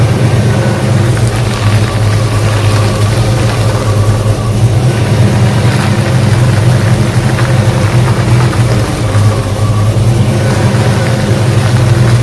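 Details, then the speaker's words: 1966 Ford Mustang power steering after a fluid flush, run 5–10 minutes with air bubbles purged and level lowered, full car weight on the wheels: even idle, no whine or groan; pump quiet. "as you can see they're very nice and quiet with the full load full weight of the car on it"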